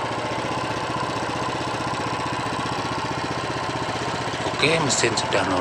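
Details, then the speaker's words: Honda GX390 single-cylinder after repair of hard starting and harsh rattling: steady even beat at idle with no knocking or rattling; normal healthy idle after repair. "sekarang, teman-teman. Ini bagus sekali. Sempurna dan siap digunakan."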